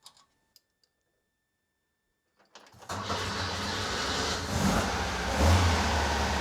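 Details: Rebuilt Porsche 912 flat-four in a 911: quiet, then cranks, catches and settles into steady even low rumble at raised idle, after timing retarded from about 38 to roughly 31–32 degrees; normal idle.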